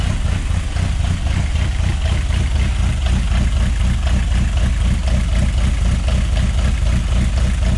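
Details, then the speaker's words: Project Zero 18 at first start, running fine: a deep, loping idle just under 1000 rpm with a steady uneven chop about four pulses a second. Oil pressure is just over 4 bar, and the Mazda alternator is charging 13.5 V unplugged. Part of the lope relates to throttle sync, checked with an air sync meter. "um part of this lopey idle is uh from running carbs back in the day you have a air sync meter"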